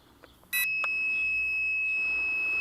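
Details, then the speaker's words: Locator buzzer on a homemade lightweight carbon-tube quadcopter (JJ1000 board): 1.7 g magnetic oscillator active buzzer, not piezo. A sharp, steady high-pitched beep cuts in and holds, loud and clean; normal buzzer beep. "Not piezo, this is actually a magnetic couplet oscillator plus active boozer."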